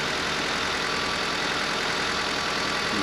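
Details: Honda Civic during battery and charging check, slightly slow start, charging at 14.7 V: even, steady idle with smooth hiss and no knocking or misses; engine sounds healthy.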